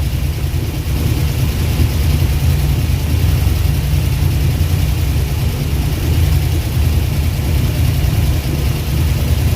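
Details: Abandoned Eleanor-style Mustang, Ford 289 V8, first run after sitting over a decade: rough lumpy idle with steady chuffing beat, lots of compression coming out; smoke from both exhaust pipes, pressure in radiator; owner suspects blown head gasket and possibly no oil pressure.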